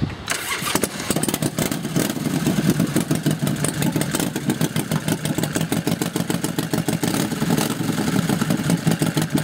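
Starter catches quickly and the engine settles into a loud, steady, evenly spaced lumpy beat with no misfires or knocks; sounds healthy.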